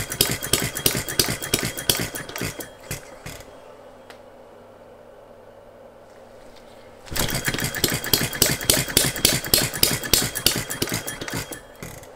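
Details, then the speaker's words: Philip Duclos Odds n Ends hit and miss model engine with new single O-ring piston replacing cast iron rings; firing bursts at three to four a second, nearly four-second silent coast, then ragged firing: lumpy running, owner suspects timing. "it feels a bit lumpy does that so i think there might be a timing issue"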